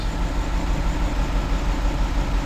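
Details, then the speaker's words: 2011 Chevy Tahoe with white exhaust smoke, injector 3 control circuit and misfire codes: rough, lumpy idle with a recurring stumble in the exhaust beat; cylinder 3 dead, injector or ECM fault suspected. "pretty much number 3 cylinder is dead."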